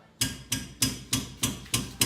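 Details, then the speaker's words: Civic left rear coilover (eBay coilovers), wheel off, strut struck: seven solid metallic clunks about three per second. Bottom mount is loose, but it is unclear whether the bushing separated from the rubber or the bolt loosened. "okay so what we found is that this bottom mount is loose I'm not sure if it's the bushing separated from the rubber or if the bolt just loosened up"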